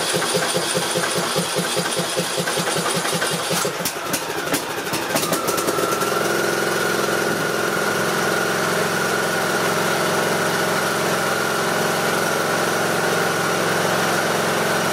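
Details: Briggs and Stratton 18.5 hp Intec lawn mower engine after cleaning the carburetor pilot jet to cure idle surging: cranks, catches, settles into a steady even idle with no hunting; running right.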